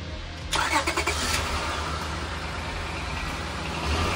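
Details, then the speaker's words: Honda car idling right after a leaking exhaust section was welded, coated and refitted; some leak may remain. It starts quickly and settles into a steady, smooth idle with no puffing or ticking, so the exhaust sounds sealed. "all right the exhaust is on let's turn around and see it might still leak a little bit but it should be a lot better"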